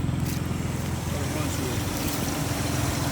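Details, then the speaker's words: 2004 Nissan Xterra SE 4x4, 3.3 L V6, heard outside the vehicle at idle: steady V6 idle with a fast, slightly uneven puffing tick riding the exhaust note; a small exhaust leak. "One thing I will point out, you guys can probably hear it. It does have a little bit of an exhaust leak."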